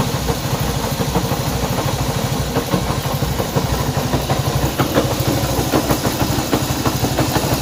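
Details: Honda CB190R motorcycle engine noise at idle: uneven ticking clatter about three per second over a loping single-cylinder idle; abnormal engine noise, cause unclear.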